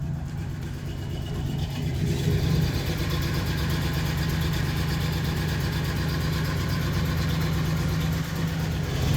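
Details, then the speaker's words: Owner's truck just started cold on a windy day: steady low idle, slightly uneven as it settles, no knock or tick after a start that didn't sound good; normal cold idle. "Uh-oh. That didn't sound good. Let's go see what it sounds like. She's just cold."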